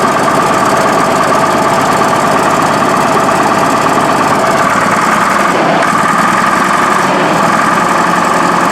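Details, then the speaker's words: Case 1150B crawler dozer diesel just after two broken injectors were replaced, ice cold. Loud, uneven, lumpy idle with rhythm dips, sounds terrible and still very smoky. Owners suspect the new injectors aren't bled or primed yet and say it needs to warm up. "Sounds terrible. That's cleaner now. I think it's got to prime up some injectors. That's obviously it's got to warm up. I mean, it's so ice cold."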